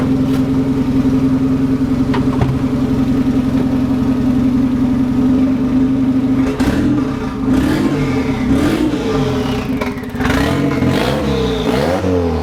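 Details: VW Golf Mk1 4Motion AWD build, engine running again after fuel pump priming: settles to steady idle, climbs cleanly through throttle blips and drops back smoothly; healthy engine.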